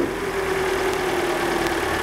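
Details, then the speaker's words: Car after water pump and timing belt kit replacement to cure an engine noise: steady, even idle with a smooth constant hum and no knocking, whine or ticking; normal idle. "Então tá aí, ó. Tudo funcionando perfeitamente, né?"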